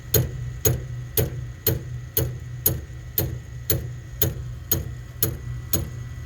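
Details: Harman pellet stove with empty hopper, auger motor about a year old and sprocket recently changed; sharp steady clicks about two per second over a low hum; auger clicking but not turning.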